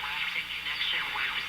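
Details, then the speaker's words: Canadian Philco 5-tube transformerless radio after new filter capacitors and power cord repair: steady high whistle with a swishing sweep over station audio, a heterodyne tone to be eliminated. "So the heterodyne, the tone you hear,"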